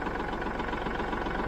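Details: Kubota L3901 tractor diesel just after 400-hour service with fuel system bleeding; even, steady diesel knock at settled idle with no misses or hunting; engine running clean and healthy.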